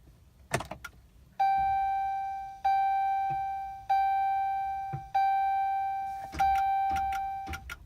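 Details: 2012 Dodge truck won't start: several dashboard chimes with sharp clicks between them, engine never turns over; clicking with no crank.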